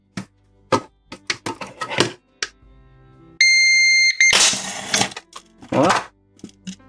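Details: CyberPower 1500VA AVR UPS switched on after replacing MOSFETs blown in a thunderstorm: a few clicks, a short high beep, then a harsh crackling burst as it exploded again; repair failed.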